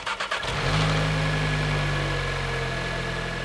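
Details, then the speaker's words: Normal-engine reference: a few quick even cranking beats, then it catches cleanly and settles into a steady idle; normal cranking and start. "We're going to crank the car and listen to what it sounds like. A normal engine that's going to start should sound like this."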